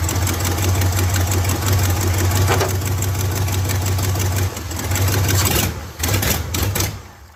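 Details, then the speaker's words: Abandoned Silverado mud-rig truck engine, just fired up after EFI/injector work and without intake fitted, chugs at low uneven idle, stumbles and stalls when revved. "Did you stall it? Yeah. All right. Well, it runs."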